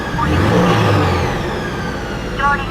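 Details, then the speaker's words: Subaru BRZ with Kraftwerks supercharger kit, engine bay, free revving: quite loud, but the blower doesn't scream or get louder with RPM; brief flutter on lift-off from the plumb-back blow-off valve; healthy. "So, you can hear it is it is quite loud. You definitely can tell that there's something different about the car there. Um, it doesn't get louder with RPM though."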